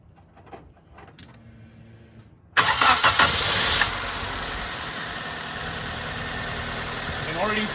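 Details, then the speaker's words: 2005 Nissan Pulsar N16, 220,000 km, after replacing original ignition coils with aftermarket ones for weak spark and vibration: cranks, catches, steady even idle with faint light ticking; sounds somewhat better than before. "It's very dim ticking sound. Well, it's not a huge difference, but it's still better than before."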